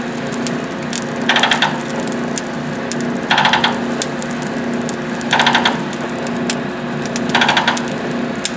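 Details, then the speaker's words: EFM coal stoker after grate replacement, feed switched on: short bursts of quick ratchet clicks every two seconds over a steady hum, about four teeth a stroke; the feed works normally. "I guess I can turn the feed on now. There's four or so, about four teeth, I think."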